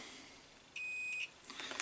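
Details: Crompton Parkinson 180 W single-phase induction motor, cover off, meter on coil: one steady high-pitched half-second beep as probes touch; continuity through the winding, about five ohms.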